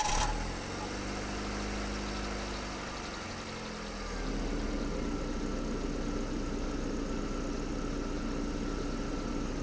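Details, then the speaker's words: Hyundai Getz petrol engine idling after alternator belt tensioning, checked with high beams, max heater fan, A/C, seat and mirror heating and audio on: electrical load deepens the note, but no belt squeal. "нужно завести машину проверить свистит или нет после чего включить все электро потребляющие приборы"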